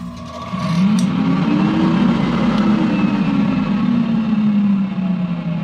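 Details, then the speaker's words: Donated inoperative dust collector motor after troubleshooting and quick repair, reassembled and switched on to check for grinding: spins up to a smooth, steady hum with no grinding or scraping; running healthy. "okay so let me go and turn it on make sure it doesn't make any grinding noises or anything that i don't like"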